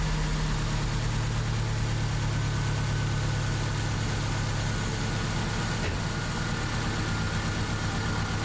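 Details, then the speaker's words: 2001 Subaru Impreza 2.5RS (GC8) after a cylinder 1/2 misfire fix and new NGK copper-tip plugs, recorded on the camera microphone. A steady, even idle with no misses or stumbles; runs smooth, a normal idle. "man it is running smooth and 10 times better than it did before"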